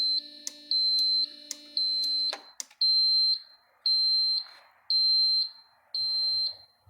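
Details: Cummins-powered bus chassis exposed to the elements about three years; a jumper restores power to the fuse panel and ECM; a high, steady dash warning beep repeats about once a second.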